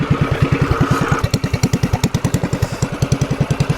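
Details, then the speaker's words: TrailMaster MB200 single-cylinder minibike with aftermarket air filter, Juggernaut torque converter and new pipe: quick even putts at fast idle, crisp throaty exhaust, clean; sounds better than stock, idle could go up slightly; normal idle. "Definitely sounds better. This pipe doesn't sound bad."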